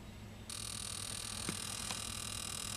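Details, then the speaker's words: 1999 Chevy Astro AWD, crank no-start after sitting 4 years, scanner injector flow test on injector one. A faint buzzing tick is heard under the loud fuel pump hum, but pressure stays at 60 PSI; the injector is not flowing. "you can hear the injector buzz but our fuel pressure stayed Rock Steady as 60 PSI not even one PSI drop"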